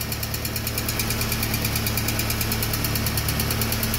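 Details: VW AP 1.6 G3 Flex engine just started after oil pump replacement and a larger oil filter, still lightly tapping its hydraulic lifters at about three ticks a second; oil pressure was 3 bar cold, dropping to 1 bar at hot idle.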